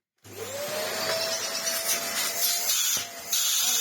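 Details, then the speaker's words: Vax Air Stretch bagless upright corded vacuum after cleaning the top section; post filter not yet fitted. Motor spins up to a steady high whine with strong, even rushing suction and much more airflow; dust blows out of the hose. Running normally. "Tons! Oh, look at all the dust it's putting out."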